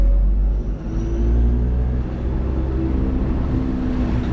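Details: DIY battery-electric conversion Ford Transit van back on the road after battery repair: low, even road rumble with faint steady motor tones, no shudder, after an earlier driveshaft-like vibration possibly from BMS cables; drivetrain runs smooth.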